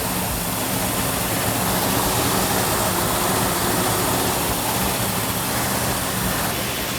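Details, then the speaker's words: Freshly rebuilt Plymouth Roadrunner V8, initial startup held at high RPM for cam break-in: loud, steady fast idle with slightly lopey rumble under hiss, a little valvetrain noise normal for a new engine, no smoke. "Got a little bit noisy valve train, which is normal on a new engine. We're gonna hold the RPM up so the cam can break in."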